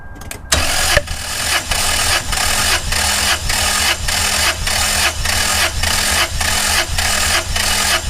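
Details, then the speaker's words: Toyota 5VZ-FE 3.4L V6 compression test: ignition disabled, no fuel, plugs out, throttle held wide open. Steady cranking gives even compression pulses with no skips, and this cylinder reads about 210: normal cranking compression. "stop that cylinder went to right about 210 so now we're gonna go to the next one"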